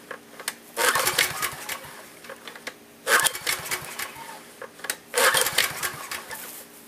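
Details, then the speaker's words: Generator unused for years, fuel on but no fuel reaching the fuel line, tank nearly empty of old gas: three hard recoil pulls, engine spins but never catches; fuel starvation, fixed with fresh gasoline. "okay so I'm pulling my brains out and I'm going to find out why it's not wanting to start"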